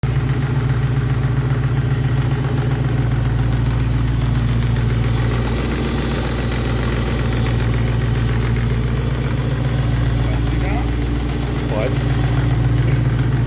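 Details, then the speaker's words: VW Santana with V8 engine, which also had a small radiator leak: steady, deep idle with a faint light chatter on top, traced to a noisy belt tensioner. "galera nós estamos aqui funcionando o carro porque nós ouvimos um barulhinho no carro aqui e tava dando vazamentozinho no radiador nós estamos tentando resolver aí nós descobrimos tensionador dele aqui tá fazendo um barulhinho"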